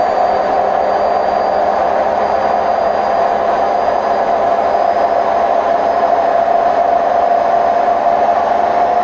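A loud, continuous rushing roar with a steady mid-pitched drone persists through the spin, typical of worn drum bearings.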